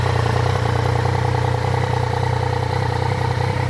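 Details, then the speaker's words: Triumph Tiger 900 GT at idle just after its 20,000 km service at 19,407 km (filter cleaned, spark plugs replaced): deep, hollow, booming roar with an even pulse, like running inside a PVC pipe; cause not yet found. "parece que tá dentro de um cano de PVC certo o barulho parece que tá dentro de um cano de PVC com ronco estranho"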